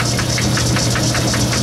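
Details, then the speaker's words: Lathe turning at slow speed while cutting: a sharp clack repeating about six times a second over the machine hum, from a broken gear tooth. "you hear that clack clack clack clack that's a broken tooth in my"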